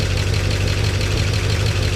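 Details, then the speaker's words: 1969 Chevy C10 V8 after a slight timing adjustment: deep, even idle with a smooth steady beat and no knocking or ticking, much quieter now that oil pressure is up (50 psi); normal idle. "Hey, we got oil pressure. We got oil pressure. Check it out. Oh, it's much quieter too."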